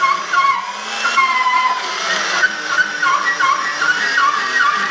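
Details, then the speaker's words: New fence tenon cutter cutting 1 3/4" spoke tenons for 10-foot logging wheels: high wavering squeal with fast stuttering chatter as the blade's drag-limiting edge chatters through the cut; cutter blade chatter and squeal. "ʻAe, ʻo kēlā ʻuā a me ka ʻuā a ʻoukou e lohe nei, ʻo ia ka ʻōlelo ʻana i kēia maka ma ʻaneʻi."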